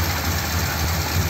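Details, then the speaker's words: 1957 Ford Thunderbird with original carburetor parts refitted, flooding issues and fouled plugs; low idle with uneven, lumpy beat and dropped pulses, sounds like a cylinder missing; cause suspected, not confirmed. "can you hear it hitting or missing that's all the way in"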